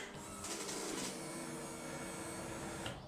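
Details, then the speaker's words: 2015 Kawasaki Ninja 300 race bike, after sitting for months with stale fuel, fuel pump reinstalled: key on, a steady, even electric buzz holds for a few seconds as the fuel pump primes normally. "that buzzing that wine was the fuel pump wow what a difference"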